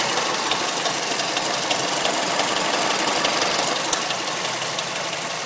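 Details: Mazda3 MPS (Mazdaspeed3) at steady idle: fast, fairly even light ticking about three per second; cause unconfirmed, owner suspects VVT, timing chain or tensioner; no diesel-like sound on cold starts.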